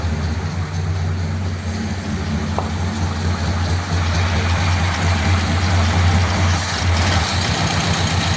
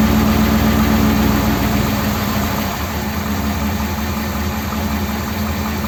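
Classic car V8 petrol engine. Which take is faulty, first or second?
first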